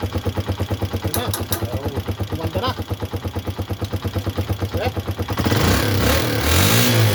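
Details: Tricycle that stalled when given throttle, after adjustment: uneven chugging at first, then throttle opens and engine picks up cleanly and keeps running without stalling; problem solved.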